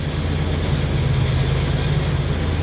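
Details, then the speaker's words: Buick Grand National at a rough cold idle just after new spark plugs: a loud, uneven metallic rattle over a deep low thrum, unchanged by the plug swap; engine breaking up and wanting to die, rattle source unclear. "hear that rattling that sounds so bad yeah here we go nothing changed"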